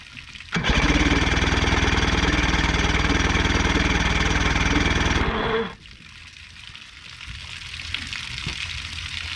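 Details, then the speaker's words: 1977 Johnson outboard on a pontoon boat, after work to fix a bad fuel leak: steady even cranking about four beats a second for five seconds, never fires; cranks but won't start, spark unconfirmed, suspected something nicked during repair. "the only thing we don't know is if it's getting sparked this thing to fire it's strange because we were trying to fix the fuel leak and then when we go to restart it we weren't even getting sparked"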